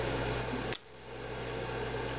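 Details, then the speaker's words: Coleman-board gas furnace calling for heat, after the booster trips the pressure switch and the glow igniter heats: a single soft click over the fan hum as the gas valve opens on cue, normal. "It gets really hot, and then in a few seconds you'll hear the gas valve click."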